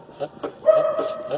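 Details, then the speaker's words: 2011 Hyundai i30 2.0 with suspension noise two shops couldn't find: car rocked on the ground, dull irregular clunks with faint creak from the worn stabilizer link. "Esse barulho tá dando ressonância aqui, ó, aqui na bieleta. Ó, a batida tá aqui, ó, bem aqui, ó, na bieleta, né?"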